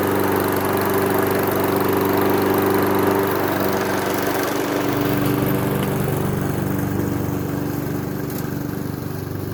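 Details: Honda HRX217 mower test-run after fitting new Oregon 21-inch tungsten-carbide mulching blades in place of worn, damaged ones. Steady, even drone with a smooth low hum and no knocking, rumble or wobble, so it runs clean.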